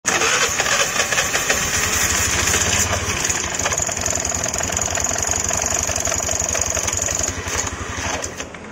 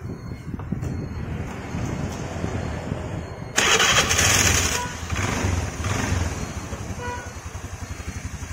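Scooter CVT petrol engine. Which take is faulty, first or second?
first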